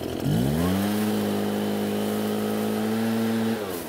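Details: Almost-new Redmax EBZ8500 backpack blower, prone to flooding, after drying out the flooded engine and using a modified starting procedure: catches on the pull, revs up and holds a steady, even buzz before shutoff; starting and running properly.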